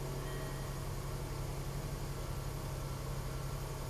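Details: 2014 Range Rover Supercharged 3.0 with intermittent crank/no-start and start-stall, suspected restraints control module not communicating: steady, even low rumble with no misses, stumbles or dropouts; idles smoothly without stalling, fault not reproduced here.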